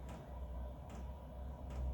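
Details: Cheap Chinese 2 kW diesel heater on full tank burn test set to full power: crisp single fuel pump ticks a bit over one per second over a low fan hum, normal dosing as it fires.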